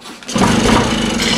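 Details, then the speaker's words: Echo 403T blower with a replacement Zama carburetor, warming up: small two-stroke idling low and slightly uneven, just above stalling, while the low-speed screw is adjusted. It is usually set a quarter turn from this point. "runs hear now it went lower i'm playing with a lower adjustment that's about right where it would shut off so usually what i do is i get to this point and i give it a quarter turn"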